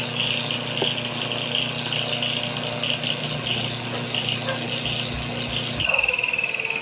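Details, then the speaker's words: Washing machine wash motor bench-wired through timer switch and capacitor: steady hum with a light repeating scratchy rub, caused by the two pieces of masking tape attached to it brushing the spinning motor. "Yung tunog na yan, dyan yan sa kinabit kong masking tape. Dahil dalawang ikinabit ko dyang masking tape."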